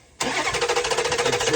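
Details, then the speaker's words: 2008 Dodge Durango 5.7 HEMI with a P0304 skip on cylinder 4, valve cover off: short, uneven pulsing run with a skip in the firing beat despite intake and exhaust valves moving. Cause was a cylinder deactivation (MDS) problem. "but we still have a skip in it. And now we're trying to determine whether we have a dead lifter or what."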